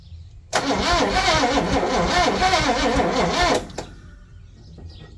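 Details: 1961 Chevy Impala four-door, sat 20 years, first start: catches straight away, runs a steady, slightly uneven idle about three seconds, then shuts off; normal start and run.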